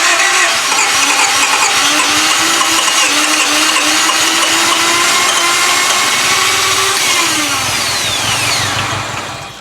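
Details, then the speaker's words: 1995 Honda Civic EG, manual with clutch: steady starter whir with a slowly shifting tone and uneven attempts to catch that never become running; rough crank, fails to start, low fuel pressure suspected. "Oh, it almost went. It's trying. Yeah. It's trying to run."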